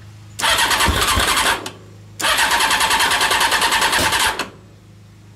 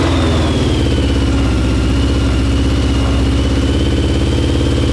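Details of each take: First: Honda CBR600 carbureted engine in home-built reverse trike, fuel pump hose off for testing: two bursts of harsh cranking, no run, sharp backfire pop; owner suspects a bad fuel pump; cranks without starting. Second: CBR600 four-cylinder carbureted engine in reverse trike after reconnecting fuel line and closing float bowl drains: steady even hum, smooth regular firing, no knocks or misses; normal running.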